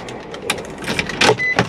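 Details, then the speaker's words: 2004 Nissan Armada power window: short sharp clicks with each press of the switch and no steady motor run; the window motor has failed. "veces si usted va a escuchar solamente un clic clic clic y eso muchas de las veces solamente es el motor que está dañado"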